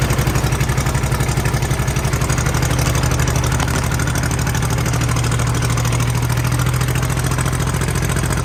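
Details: Kubota B7200 subcompact tractor diesel, cold start at 15°F after glow plugs held a minute, no fuel additive: even loud clatter at steady cold idle, a couple of pulses a second; normal cold-start clatter.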